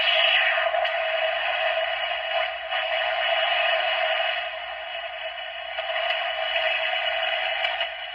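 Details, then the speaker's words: 1962 Bulova transistor travel alarm radio with Citizen alarm watch, 4.5 V TR133 battery; after replacing one capacitor (recap in progress), loud clear audio from the small speaker with no crackle or fading; playing properly. "Okay, we replaced that 1 cap down here. We've got a lot more audio."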